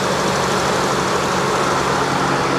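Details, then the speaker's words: Salvage-auction car with a suspected bad battery, charging at 14.3 V, idling steadily and evenly with no knocks or misses over a hissy background; runs smoothly, normal idle. "You can hear it runs, man. It purrs like kitten. Listen to that."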